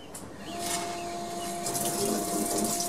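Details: Dental CNC machine after being dropped by movers: flood coolant water pump running with steady hum under rushing, splashing water, no knocks or grinding; pump working normally.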